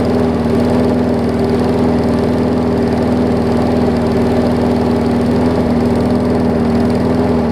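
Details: Newer Murray push mower: steady, low, lazy single-cylinder thump with no pickup, engine running too slow; owner working on throttle/governor spring, which is longer than needed.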